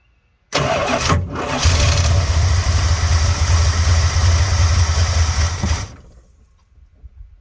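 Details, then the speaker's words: 1986 Dodge Ramcharger just after cleaned carburetor install, gas poured in carb and tank: cranks, catches about five seconds on a rough uneven beat, then dies; fuel starvation, fuel not yet pumped from tank to filter. "Alrighty. Not too bad. Sounds like it might need a little more gas in the carburetor."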